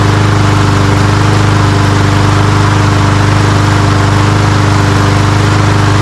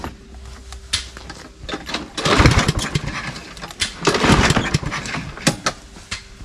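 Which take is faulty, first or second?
second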